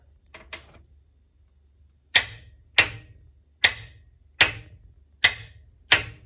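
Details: 1966 Chevy Nova with a newly installed B&M Pro Stick shifter and trans brake button, key on: six crisp, sharp clicks about every three-quarters of a second over a quiet background; the trans brake solenoid operates normally.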